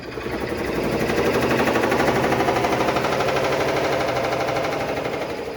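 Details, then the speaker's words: Black & Decker BPW30MW 3 cu ft portable washer, about two years old, loud fast machine-gun-like knocking during spin cycle; ultimately traced to the clutch assembly and belt. "I have a Black & Decker 3 cubic foot portable washer that I purchased about two years ago that is now making loud knocking noises and it's gotten to the point where it is very noticeably loud"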